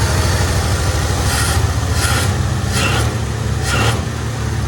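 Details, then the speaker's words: 1972 Chevy C10 V8 revived, fuel hose fixed: deep, even exhaust rumble with steady idle beat and no stumbling; runs much better. "That's a lot better."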